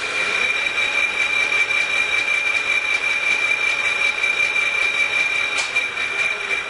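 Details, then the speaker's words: Sibley drill press flat belt moved to the highest speed step: steady, even whir with a thin constant high whine, no knocks or slapping; belt drive running smoothly at top speed. "And that is the highest speed on this drill press."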